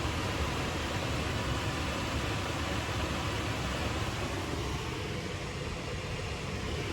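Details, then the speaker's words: Nissan NV3500 rear blower motor on test, speed swept from 0 to 50%: steady even rush of air, slowing down and ramping back up, no rattle, squeal or ticking; blower runs smoothly. "There you have it. That's just a little bit off of 0. You hear it slowing back down. 50%. You hear her ramping up."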